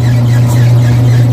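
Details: Twin-tub washing machine spin dryer motor running on a newly made dual capacitor (separate wash and dryer sections), replacing the weak 4-wire capacitor: loud, steady, even low hum without stalling or labouring; repair works, normal running.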